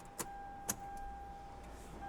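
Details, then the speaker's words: Toyota Land Cruiser 100 Series prepurchase check: brake pedal pumped with key off to drain the accumulator, then key on; brake booster pump runs with a normal low steady electric hum and a few clicks, and may need up to about 40 seconds to finish cycling. "you can turn the key back on and listen for the pump to run and normally it's a it's a low humming noise"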